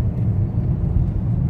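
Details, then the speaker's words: VW Touareg V10 5L biturbo at full throttle after repair of the turbo intake air-pressure-loss fault (P2279/P0299, limp mode, black smoke): deep, even rumble with no flutter or misses; full power restored, normal acceleration. "oui à fond pas de souci toute la puissance est revenue"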